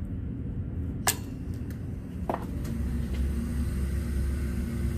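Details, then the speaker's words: Replacement Taco 007-F5 circulator pump on a snowmelt system, powered through an SR506 switching relay: a couple of relay clicks, then a quiet, steady low hum that stays even. The pump is running normally. "i'm sure you can hear that i don't know if you can but i can because it's running it's running baby"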